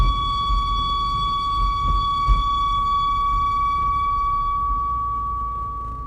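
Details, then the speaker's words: Volvo V70 XC while driving: steady, piercing high squeal over low road rumble; no noise at idle, only when the car is rolling. "That's not annoying or anything. No noise at idle. I guess it's only when the car is rolling."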